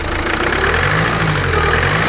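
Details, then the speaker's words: Diesel car with a fast, even ticking over the running note under light throttle, with no pull. Injectors not yet redone; scanner and multimeter show nothing wrong. Normal with more throttle; cause unknown. "لاخاطش كي تزيد تشاك الريشه تاع الريجيم ما تفوتش الطرونت، تبقى ما بين الفا والطرونت، ما بين دو والطروا، والتيراج ما كاش ويجي صوت الطقطقه هذا."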